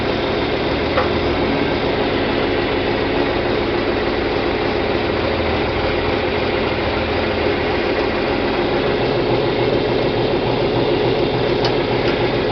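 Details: John Deere 4020 diesel tractor after clutch replacement and split reassembly, moving in first: steady, even chug with no clunks, grinding or slipping; drivetrain healthy, normal running.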